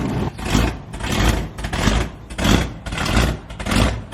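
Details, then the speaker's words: Dodge Charger R/T Hemi V8 on E85, during tuning: blipped about every half second, each rev with a raspy puffing tick from an exhaust leak at the headers. "I guess that sound that you guys heard was an exhaust leak in the headers."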